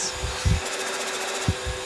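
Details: Turbo compressor driven by an electric motor on a test rig feeding an intercooler; as speed and pressure rise, soft hollow thumps pulse about every half second over a faint whir, turbo flutter from compressor surge.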